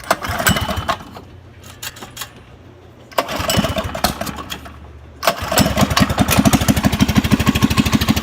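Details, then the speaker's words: Baja minibike with 212 engine, exhaust and governor deleted for higher revs: a few cranking tries, then the single catches and settles into a quick, even firing beat with no knocks or misses; normal running. "It's a Baja bike with the 212 also. It's exhaust on there. I did the governor delete on them so I can rev a lot higher."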